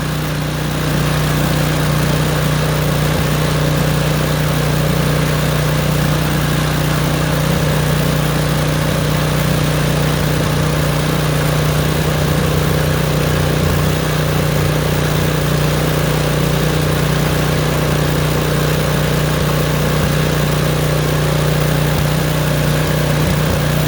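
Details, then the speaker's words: Craftsman snowblower small engine at fast idle after start-up, running rough with uneven pops on partial choke; one more choke click toward run stops the popping. "So now do you hear it popping? Now go 1 more click. The popping stopped."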